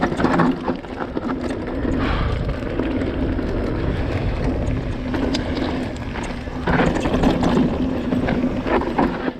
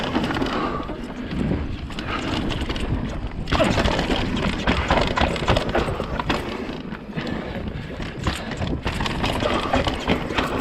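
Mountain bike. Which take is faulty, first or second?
second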